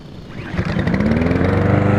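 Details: Snapper 725 EXI lawn mower engine after tapping the float bowl with a screwdriver (temporary fix for hard start and surging idle, float suspected sticking): catches quickly and settles to a steady, even idle; normal idle.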